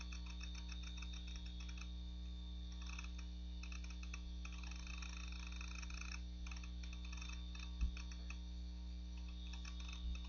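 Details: Macintosh PowerBook 520c (25 MHz 68LC040, Mac OS 7.5.5) slowly loading from its 240 MB 2.5" SCSI hard drive, possibly IBM: faint, irregular ticks every few seconds over a quiet hum. The worn drive is showing signs of failing soon.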